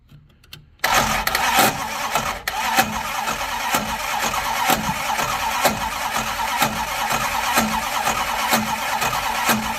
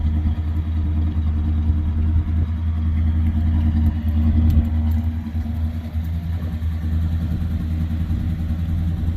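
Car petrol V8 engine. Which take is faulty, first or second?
first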